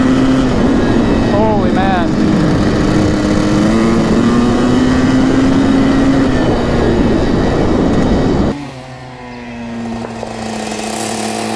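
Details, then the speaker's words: 1984 Yamaha YZ490 two-stroke on its first ride: the note climbs smoothly under throttle with no stumble, then drops off on closing. The engine clears out and pulls clean. "oh it's bleeding out now baby holy cow I think it's fast it's just like the 500 the CR 500 super the rally we handle bars and stuff it's crazy it wants to open up you can hear it"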